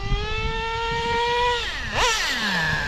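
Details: O.S. 21 TM nitro engine in a Traxxas RC being needle-tuned. Steady high buzz holds level, then a quick blip and clean drop back with no cutting out. The needle was screwed in too far and cut out, then backed out; it now runs smoothly.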